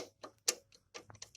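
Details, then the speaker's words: VAZ 2107 suspension: with the shock absorber bracket removed, sharp irregular metallic clicks and knocks come from the bracket. It had not been tightened enough in places, which caused the knocking; it is then tightened. "Затем я решил снять этот кронштейн амортизатора и услышал вот это. То есть, из-за этих ударов выяснилось, что кронштейн был недостаточно затянут в некоторых местах ."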